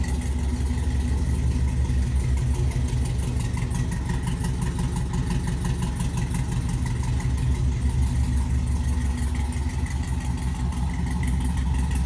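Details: LS-swapped C10 with 5.3 V8 and Brian Tooley Racing no-springs-required cam freshly installed, first start before tune: deep, choppy lope at about three pulses a second, no knocking or ticking; normal cammed idle.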